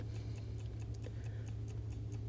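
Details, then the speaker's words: Vintage Coca-Cola electric rewind clock, reassembled after its failed rewind motor was replaced: light, regular ticks about five per second over a soft low hum, evenly spaced with no skips, waiting for the next automatic rewind. "officially reassembled and as you can hear and see it's ticking away now to wait till it needs to rewind"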